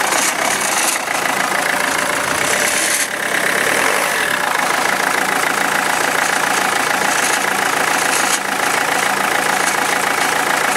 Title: Renault Megane II - an unknown engine knock